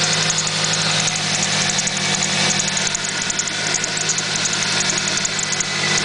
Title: Squeek Chirp Noise @ idle